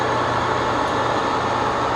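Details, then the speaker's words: Webb Whacheon lathe on its first test run, oil not yet checked, at high rpm: even steady hum and whir with no knocks, rattles or surges; normal running. "but so far it really doesn't sound too bad you can hear it quite a bit at the high rpm"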